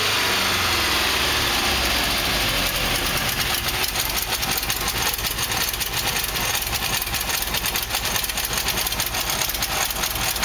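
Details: Nissan N13 with CA18DE petrol engine idling unevenly, irregular pulsing of roughly two to three a second; rough idle persists after new headers were fitted, needs fine tuning.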